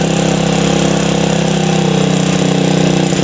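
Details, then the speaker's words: Supra motorcycle with a new carburetor that fouls spark plugs: a steady single-cylinder idle keeps running with the air screw closed, where a healthy engine would stall; suggests a leaking valve, found without engine teardown. "Kalau yang sana ketika ditutup RPM-nya makin nurun langsung mati. Nah, itu hal yang normal untuk persisteman karburator kayak gini ya."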